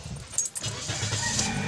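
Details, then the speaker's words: 2019 Toyota Vios with hard-starting complaint, fuel pump replaced under a month ago, original belt reinstalled: key, short crank, catches first try and settles to steady idle; normal start. "nak start natin kasi nagbalik natin yung original na belt niya siuda ko oh One Click one click Idol okay na one click talaga"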